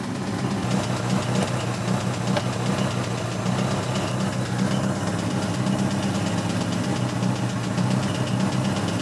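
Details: 1986 Toyota MR2 AW11 salvage-yard parts car: rough idle with a sharp metallic knock tapping through the low rumble; bad rod knock, engine declared toast.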